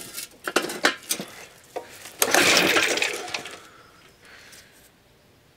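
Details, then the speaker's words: Suffolk Super Punch/Colt lawnmower (75G14-25A) after basic maintenance: a few clattering recoil pulls turn the engine over with throttle opened but it never fires; points gap suspected to have moved when lock screw tightened, points reset closer. "sign of life yet. Nothing. This would be a much more fun job if it had a starter motor."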